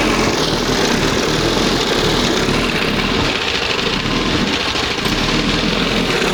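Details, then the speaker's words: 1971 20 hp Johnson two-stroke outboard, after dremeling the throttle cam: rough, uneven running with irregular pops through the buzz, mixture set too lean; later turned back slightly. "Damn. She was popping and too lean, way out like that. Ah! She likes it lean and sneezy, baby."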